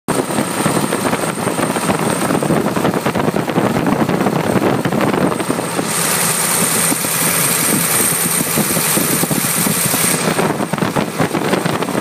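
Steady, even engine clatter with no missing beats or puffing surges; it runs smoothly and sounds healthy.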